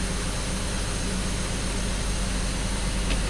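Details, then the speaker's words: BMW X5 at idle after clearing codes, with injectors having been deactivated to test: low, uneven idle stumbling about twice a second; the misfire is a little smaller but still there, briefly disappearing then returning. "as bad as it was a little bit smaller but still still misfires"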